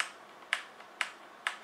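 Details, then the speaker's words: HyperX Alloy FPS Pro mechanical keyboard, Cherry MX Red switches: reference normal key presses, four or five clean even single clicks with no scratch, contrasted with left and right arrow keys that make a crisp scratchy noise from day one. "you can feel this tactile bump you can probably hear this too this is what normal or this is what something normal should sound like"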